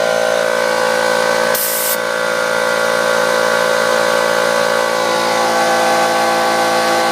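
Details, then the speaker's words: Lawnmower front tire during inflation after a DIY slime repair; steady hiss of air escaping where a wire pierced the tread face, with compressor tones underneath. "so now I have the tire filled up and you'll hear the hissing that hissing is where it's right back in there is where the wire went through the face of the tire"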